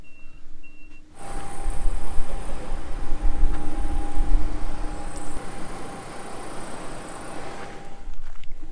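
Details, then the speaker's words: Furnace number three of three in a Barth motorhome: beeps, then steady blower rush, no burner light-off. Blower runs but no ignition; owner suspects igniter or control board with failed capacitors. "well i guess we have blower on furnace number three we don't have ignition i'll have to look into that could be the igniter probably the board"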